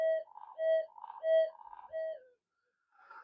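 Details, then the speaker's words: Minelab SD2100 metal detector with trimmers buried in hot melt glue: warbling tone bursts near one kilohertz about every half second, triggered by a magnet about a meter from the coil; false signals. "so what I was getting very funny uh stange signals um yeah and I I'll tell you about this fault and it turns up all the time"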